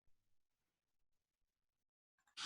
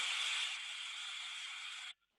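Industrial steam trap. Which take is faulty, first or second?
first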